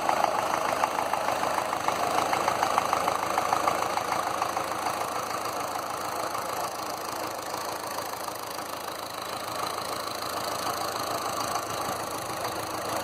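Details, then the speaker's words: Land Rover Series 2a 88 2.25 diesel, still warming up, close-up: clatter about three knocks a second, slightly uneven; grey puffs suggest one faulty injector, blue smoke was from oil overfill. "Valve check. There was a couple of valves that were a little bit on the loose side, so I've tweaked them up, and I'll give it another crack later on."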